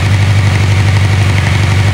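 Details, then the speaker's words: Stock 1986 Yamaha FZX700S Fazer at a smooth, even idle a little over 1000 rpm with balanced carbs and no misses. Gear, clutch basket and timing chain are audible; a healthy reference sound. "that night and even no myth strokes both sides are balanced down the same you can hear the word of the gears and the clutch basket the timing chain not like a modern bike no hesitation off idle idling down"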